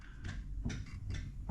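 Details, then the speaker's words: Dodge Magnum Scat Pack rear differential rocked by hand on a lift: a dull, heavy clunk about every half second from lots of backlash. The housing is possibly cracked and leaking oil, and play is far greater than another Scat Pack differential. "move the wheels here let's listen so it doesn't it has a lot of backlash"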